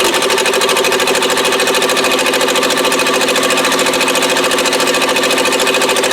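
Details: 1959 Morris Minor 1000 running only on its two rear cylinders: lumpy, choppy idle at about 200 pulses a minute with an uneven beat, and unburnt fuel smelled. Misfire from a faulty spark plug wire.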